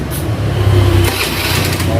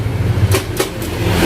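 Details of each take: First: Carbureted Honda Beat scooter, after fixing an electric starter that only clicked (tek tek) by rewiring the yellow starter wire to the red socket's yellow-green wire: starts instantly and settles into a steady, even idle hum. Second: Carbureted Honda Beat: starter gives two or three sharp "tek" clicks with no cranking, common after long use; looks like a weak battery but the battery is normal; fix is a CDI change.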